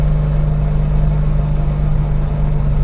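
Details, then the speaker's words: Triumph Herald Estate idling with choke out: deep, slightly lumpy idle pulsing about three times a second, running too rich, fuel smell; owner thinks the choke idle screw needs raising and suspects a dry water pump bearing. "I think the choke Idol screw needs to go up because it's choking on its own fuel Co you can smell it"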